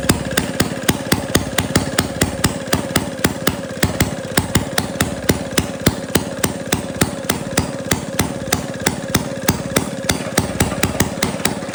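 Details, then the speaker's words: 1937 Maytag Model 92 single-cylinder two-stroke engine on a dolly, after priming and setting the adjustment to open: steady, even popping at about three and a half firings a second; running normally, vibrating itself off the dolly. "Yeah, the engine runs. But now it was kind of walking itself off of that little dolly that I've got."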